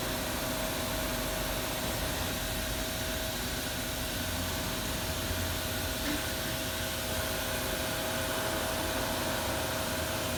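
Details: Haas VF4 spindle running after a tool change: steady hiss with a thin constant mid-pitched ring, caused by two tool-change pins contacting each other. Disconnecting a hose stops the noise.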